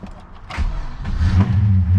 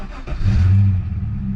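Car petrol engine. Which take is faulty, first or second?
first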